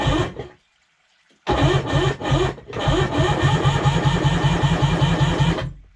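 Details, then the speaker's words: Sea-Doo HX PWC with a shaved head for about 20 psi extra compression, compression tester fitted, reading 120. The starter drags slowly, two or three pulses a second, and it never fires. A low battery or the higher compression is suspected. Slow cranking. "okay didn't seem like it turned over that well maybe my battery's pretty low maybe the compression made it tougher but you can hear it turning over pretty slowly"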